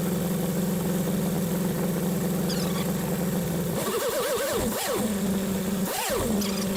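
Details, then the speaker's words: 1976 BMW 2002 with M10 engine after fitting a new Weber-style carburetor and a newish coil: a steady, even idle at about 700–800 rpm with clean throttle blips, much smoother than with the old carburetor; a normal idle. "Well, it idles an awful lot smoother than the other one. This end here is pretty quiet."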